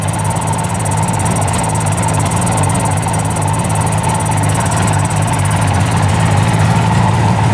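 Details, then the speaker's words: 1975 Suzuki GT750 two-stroke triple, sitting since 1986, just revived with the carb leak stopped: steady, even low burble at about 1,000 rpm idle with no stumbles; all three cylinders firing cleanly. "I cannot believe how good it's running right now. That's crazy."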